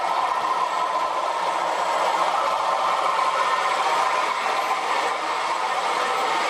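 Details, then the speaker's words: Freshly serviced short-stroke sprayer pump with regreased bearings, driving a sprinkler, motor drawing about 5 amps: a loud steady hum with constant valve chatter and no grinding; running normally, just loud, and the pulley is not quite straight. "Still loud, but it's not going to get you worse now. It's had a good service."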